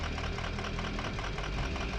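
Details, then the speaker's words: 2005 Ford F-250 6.0L Power Stroke diesel with hard start and rough idle, idling during a cylinder contribution test with each injector cut in turn: a slightly lumpy, uneven beat; one cylinder contributes less. "En nuestra situación podemos ver que no es el caso. Mientras realizamos la prueba de contribución, desactivaremos cada inyector uno a la vez y compararemos la caída"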